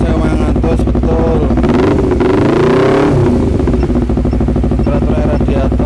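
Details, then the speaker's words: Honda CBR250RR, engine hot: revs climb then flatten and fall back, limiting around 7,000–8,000 rpm, sometimes stalling, no fault codes; high-rpm power cut. "saat dipakai jalan di RPM tertentu ketika suhu mesin sudah mulai panas dia itu kadang kayak ngelimit kayak ketahan di RPM 7.000 8.000 gitu"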